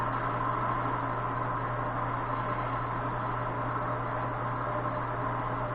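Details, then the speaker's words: Rong RF30 column mill after re-greasing the quill spindle bearings: a smooth, even, low hum with no grinding, knocking or rumble; the spindle bearings run quietly and healthy. "Sounds real good, don't it? Okay."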